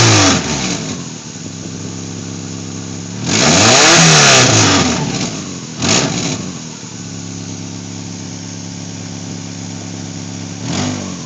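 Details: 1997 Subaru Legacy 2.2 wagon with 4EAT: loud raspy blatting swelling with revs, puffing rasp at idle; exhaust leak from broken weld in front of the second catalytic converter.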